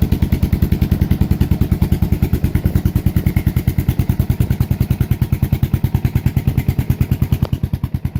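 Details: Suzuki S40 Savage single, cold start after sitting a few days, choke on, on reserve fuel: quick even thumping at choked fast idle, steady beat with no knocks or rattles; healthy cold start.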